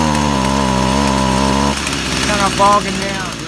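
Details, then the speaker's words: Stihl FS 55 RC trimmer after carburetor replacement and idle and high-speed adjustment: small two-stroke holds a steady even idle, then accelerates cleanly with no stumble or bog; running properly. "it doesn't turn when it's low and it is you know the engine sounds good and it's idling good and it accelerates"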